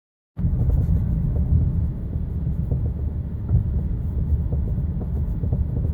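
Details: BC Racing coilovers, before repair, driving over bumps: dull irregular clunks and knocks through heavy low road rumble, recorded on DJI Osmo Action 6. Worn coilover top mount bearings; replacing them eliminated the noise.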